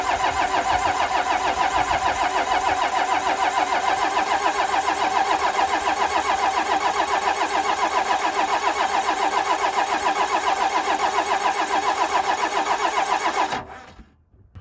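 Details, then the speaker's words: 12-valve Cummins tow truck rebuilt with cheap Amazon pistons after a melted piston: steady fast cranking, about 3.5 beats a second, with no firing, while the loosened injector lines bleed air until diesel appears. Crank no start, air in fuel lines. "now I got to crank over the motor till we get diesel coming out of these lines right now they're loose so that the air can bleed"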